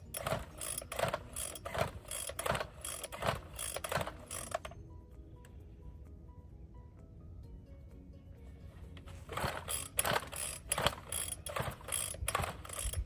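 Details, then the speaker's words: Found Bolens BL160 string trimmer with new spark plug and fresh fuel: repeated rasping recoil pulls in bursts with pauses, engine never fires; cranks but won't start, carburetor and spark to be checked next. "Okay, so it didn't start with a new plug and or new gas."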